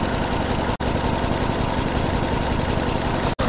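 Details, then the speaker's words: 1994 Toyota Celica, single-coil ignition, coil replaced two years ago: rough, uneven lumpy idle, dead miss at idle; scope shows no spark line on one cylinder, weak intermittent spark. "It's missing pretty bad right now. Got a dead miss."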